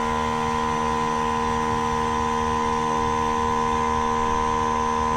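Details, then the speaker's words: Dive Buddy hookah diving system compressor, battery at 94% after 10–15 minutes' use, recharging after air is released: a steady, even drone with constant high whistling tones, no knocks or stumbles; it refills quickly and normally. "wait for it to go off. So it didn't take very long to recharge."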